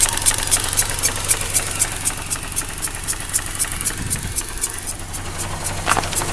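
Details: 2004 Mazda RX-8 rotary, 110,000 km, rough idle and power loss: quick pulsing suck and tick about four a second (240/min, matching the SSV ticking, one third of idle); suction seems to come from behind upper intake manifold; blown side seal suspected, not confirmed.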